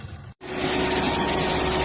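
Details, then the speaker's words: JCB machine diesel after repairing Delphi injectors on cylinders 2 and 3 (scan showed misfire, earlier tak-tak knocking): after a brief cutout, steady, even idle with no tapping; engine now running clean. "अभी machine का sound सही हो चुका है। पहले cylinder machine टक टक टक का आवाज था। अभी सही हो चुका है।"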